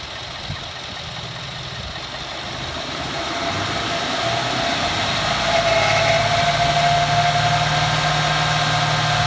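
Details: 2014 Ford F-150 4x4, hood open, phone near engine, revving: harsh scraping squeal like nails on a chalkboard rises with revs; first only when cold, now constant.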